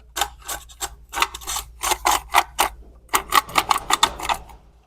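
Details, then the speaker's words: Vacuum cleaner motor with intact winding and brushes, shaft spun by hand: rough, gritty rattling in short bursts, the front bearing worn out. "این بلبرینگ که میبینین چقدر صدا میده این بیشتر این جلویه داره"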